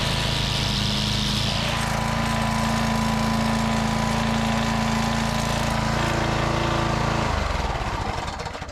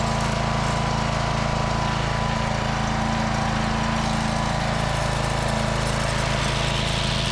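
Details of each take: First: Walk-behind brush trimmer mower whose front cutter would not engage, now after repair: belt replaced, bent lever fixed, sticky belt tensioner swivel cleaned and washer flipped. With the cutter engaged it holds a steady drone with no slipping squeal, then shuts down cleanly. Normal running. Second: Walk-behind trimmer mower whose spindle wouldn't engage, after bending the brake lever, cleaning the binding tensioner lever and reinstalling the replaced belt: small single-cylinder engine drones steadily at working speed; running, whether the drive now engages is unknown.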